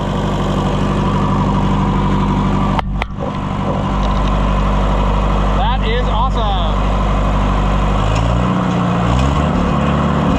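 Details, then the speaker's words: Oliver 550 tractor after push rod trouble, adjusting valves and changing dirty oil, first test run: slow, steady tick-over with an even low thrum; runs smooth and healthy. "Yeah, that thing runs great."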